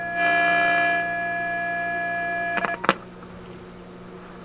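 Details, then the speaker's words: Antique Simplex vacuum tube radio with a 6A7 tube, being retested with test equipment: the test tone sounds harsh and buzzy because the input is overdriven, then clicks as the power is turned down. "sounds like loud and clear to me uh not so clear i think i'm over driving something so let's cut back the power a little bit here"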